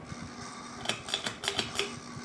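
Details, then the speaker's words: Cheap ceiling fan, almost certainly a Kmart, on high speed: sharp irregular clicks and ticks over a faint fan hum, worse with higher speed and also in reverse; bearing problem suspected. "yeah pretty bad does push some air though for a cheap fan i mean i can feel air directly under it but that's about it does it in reverse too so it is a bearing problem"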